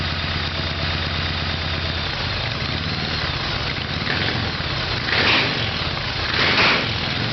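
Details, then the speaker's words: Evolution Harley Sportster V-twin with exhaust pipes hot: uneven, stumbling idle with a couple of throttle swells; rough idle, spark plugs carbon-fouled afterwards, owner suspects low compression; carburetor later found to be the problem. "so there's a spark plugs after the run and they're all carbon up so it could be low compression"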